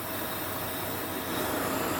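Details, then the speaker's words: 2003 Jeep Grand Cherokee 4.7 after idle control valve cleaning: steady even suction hiss over a smooth idle with no surging or dips; air bleed valve working normally. "right there that's that air bleed valve working like it's supposed to"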